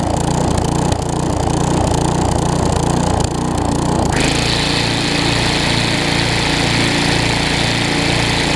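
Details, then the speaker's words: Newer Tecumseh vertical-shaft engine on a 20-inch weed trimmer after aftermarket carburetor replacement: uneven buzz steadies and evens out once the trimmer portion is engaged; normal running under load. "like i said what counts is when i engage the weed trimmer portion it smooths out"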